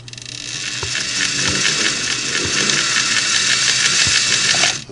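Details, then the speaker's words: Singer 401A sewing machine, initial inspection before cleaning: harsh raspy whir with uneven clicking and rattle while running; motor bearings may be failing, possibly requiring motor replacement. "I'm a little worried that that sound if you heard it might be the motor bearings which which mean which would be bad that's that's a bad thing and can even be to the point where you have to replace the whole motor"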